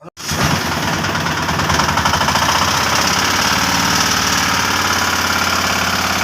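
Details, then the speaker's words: 2022 Piaggio Ape BS6 engine at steady idle with hard, regular metallic knock at engine speed from the bottom end; broken crank thrust washer let the crank balancer touch inside: crankshaft knock. "ഇത് crank trust wash പൊട്ടി വീണാണ് ഇതിൻ്റെ complaint. പിന്നെ noise കേട്ടോണ്ടിരുന്ന ഇതാണ്."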